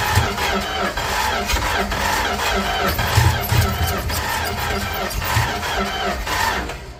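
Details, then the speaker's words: 1967-70 Dodge A108 van, 318 V8, three-on-the-tree manual, with timing issues: uneven starter churning with brief sputters that never catch, despite pumping gas and adjusting timing; cranks but will not start. "Okay, I don't know what's going on here. I don't know what this thing's problem is."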